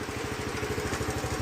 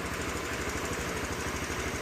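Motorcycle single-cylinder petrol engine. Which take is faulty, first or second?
second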